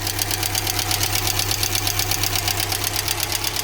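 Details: GAZ Gazelle Business, UMZ-4216 engine, 140,000 km, at idle: sharp fast valve tapping. Almost no oil reaches the rocker shaft, and the valves need adjustment. Suspected causes are clogged oil channels or a wrongly fitted gasket.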